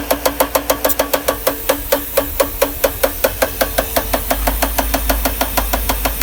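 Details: 1992 Mercedes R129 500SL M119 V8 at quiet idle with a sharp, even tapping about six times a second. Caused by the top left timing chain plastic guide rail in the cylinder head broken off at the bottom, after revving to clear a damp-distributor-cap misfire.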